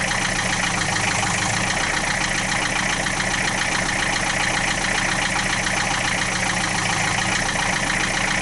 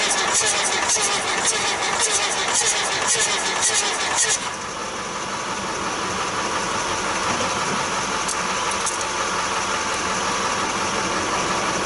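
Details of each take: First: 1966 Austin London taxi diesel, started without glow plugs at about 35-40°F: even rattly idle at constant speed, loud but no knocks, about 50 psi oil pressure, no smoke; normal healthy idle. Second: 1966 Austin London taxi diesel (CAV fuel pump and filter), first start in years: cranking gives a rough, regular tapping about three beats a second that changes as it catches; owner suspects an intake valve, unconfirmed.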